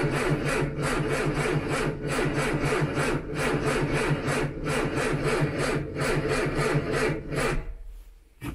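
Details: Old Ford Anglia cranking: starter turns the engine over in an even chug about three times a second for seven seconds, but it never fires.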